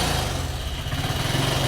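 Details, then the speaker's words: Carbureted 125cc Chinese budget commuter motorcycle, cold on choke just after kickstart, sat about a week: low, lumpy putter with uneven pulses and dips, about to die; owner suspects fuel needs to start flowing; rough cold running, near stalling. "Oh, it looks like it wants to die."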